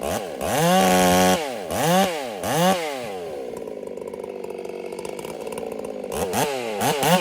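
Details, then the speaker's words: Ported Husqvarna 385 chainsaw during top-end break-in, warmed up a minute, right after two cuts: hard revs rise and fall, then a burbling, uneven wet idle; the carburetor is running fat, taken as the rings starting to seat, so mixture will be leaned. "I gave it a minute to warm up, and I just went after those 2 cuts, and she's running fat. So that's a sign that the rings are really starting to seat."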